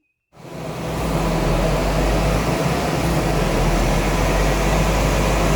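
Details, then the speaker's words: Honda Jazz, 128,000 miles, full-load dyno run: engine roar climbs fast and unevenly as revs flare, then settles as it bites again; clutch slipping, dyno fine, owner says it sometimes revs itself up. "No, it's not that. The dyno is actually fine. That was clutch slip. Clutch is slipping, but then started biting again."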